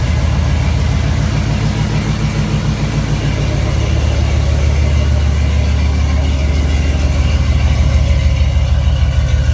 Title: No more exhaust leaks